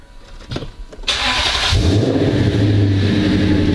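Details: Lexus IS F starting for the first time just after a Braille lightweight AGM racing battery went in. A brief crank on a second try, then it catches cleanly, flares briefly and drops to a smooth, steady idle. A normal start.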